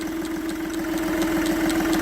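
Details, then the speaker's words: Ford Ka with 116,000 miles at petrol idle, heard loudest in the engine bay: sharp, even clicks about four a second from the small vacuum-pipe solenoid, first mistaken for the clutch release bearing. "that is a little solenoid for all the um vacuum pipes there looks like it should be a fairly easy thing"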